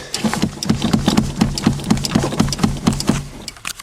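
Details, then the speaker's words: 1988 Toyota Tercel 1.5 L carbureted automatic, about 253,000 on the odometer, ran poorly and stalled, fuel present, battery weak: uneven cranking about two beats per second, no firing; cranks but won't start, cause unconfirmed. "this is the start of dad's try to crank it a million times it's got lots of fuel in it good feel too apparently your battery"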